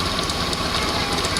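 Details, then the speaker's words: Honda Scoopy FI scooter at idle, brakes checked free: steady rough, gravelly churning from the CVT case, rear wheel spins without throttle and the engine dies when the brake is applied; detached centrifugal clutch shoe lining. "namun suara sangat kasar di bagian se ya namun pada saat kita tekan R maka dia akan berhenti dan motornya juga akan mati"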